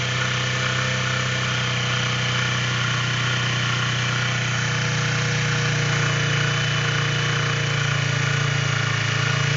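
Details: Keeway Cafe Racer 152 (Motobi) single at idle thumps along with an uneven tapping about three beats a second; a knock from inside the engine, cause suspected, not confirmed.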